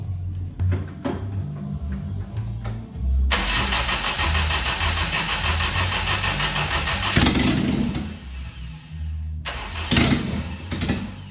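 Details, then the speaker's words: Fully built B18 non-VTEC AWD Honda Integra, first start after oil priming: cranks, catches and runs unevenly with surging revs, never settling to idle. Idle control valve was left unplugged. "She started, boys. Was running weird though."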